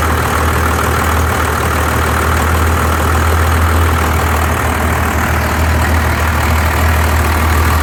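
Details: 1993 Dodge D250 12-valve Cummins diesel misfiring at idle with an uneven, stumbling beat about three times a second; injectors, lift pump, fuel shutoff solenoid replaced, valves adjusted, 400 psi compression on all six; owner suspects injection pump.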